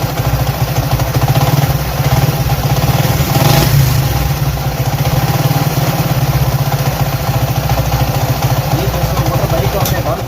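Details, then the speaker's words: Honda CD 70 at idle after clutch and pressure plate replacement: a quick, steady tapping knock rides on the single's beat, caused by a loose clutch centre bolt rattling with heavy play inside the clutch case; it was fixed by tightening it. "यह sound थी clutch बक्स के जिसका जो bold था उसकी bold खुला हुआ था इसके क्लच बॉक्स के अंदर बहुत ज्यादा लूजिंग थी वाइब्रेशन थी इसकी वजह से इसकी जो टक टक टक डक डक की आवाज आ रही थी वो इसकी आवाज थी क्लच बॉक्स की"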